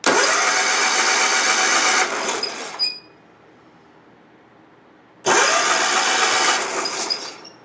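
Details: Hustler Raptor zero-turn mower with Kohler engine, after a bad new solenoid was bypassed, cranking at the starter with the key on during a spark test: two bursts of steady cranking a few seconds long with no firing; no spark.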